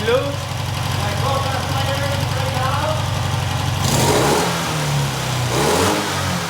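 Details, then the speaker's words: Norton 88 Dominator twin after springs checked, new spark plug fitted and plug lead reconnected: even low thumping idle picking up cleanly with a couple of throttle blips, no missed beats; both cylinders firing normally. "It looks like okay, so"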